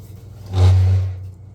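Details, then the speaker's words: Champion 4000 W (3500 W continuous) electric-start generator, ran fine last hunting season, won't start this spring: short starter whir under a second, engine never catches; has spark and compression. "Now, its issue is that it will not start. The guy supposedly used it last hunting season just fine. Went to start it this spring and it won't start."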